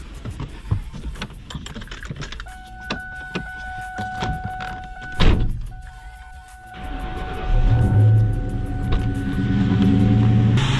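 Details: New Edge Ford Mustang V8 after replacing spark plugs on one bank, cheap cold air intake fitted: over music the engine fires around seven seconds and settles into a steady even idle without misfire or knock.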